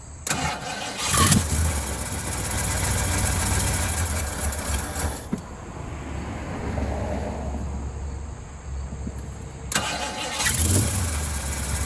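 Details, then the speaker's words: 1980 Ford F100 carbureted engine after 29 years sitting, terminals cleaned, new air filter, radiator topped with water, bowl refilled and fresh gas in tank: cranks, catches, low uneven idle about five seconds, dies, restarts; engine running after long storage. "I refilled the bowl, poured in a couple gallons of gas, and was eventually able to get it running"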